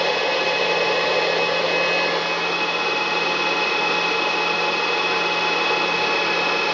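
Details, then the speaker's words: Two HP ESP135 DPS-600PB power supplies wired in series, before the quiet fan mod: constant loud rushing air with faint high whine, no rattle or bearing growl; fans running normally at stock speed. "so as you can hear the are quiet loud not too loud but still loud enough"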